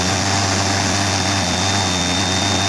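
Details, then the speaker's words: Salvaged washing machine brushed motor on bench, voltage turned up to full: loud, even high-pitched whirr like an aeroplane, no rubbing or rattle; healthy running at full speed. "I'm very windy now sounds like an aeroplane going off now"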